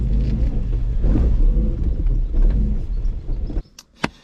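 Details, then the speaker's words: Mk2 Ford Fiesta on the road after both front wheel bearings were replaced (nearside front had been rumbling) and the gearbox driveshaft oil seals renewed. Even low road rumble with no growl or hum rising with speed. Wheel bearings now sound good. "you know what that just sounds so much better already so dialed oh perfect that wheel bearing is mint"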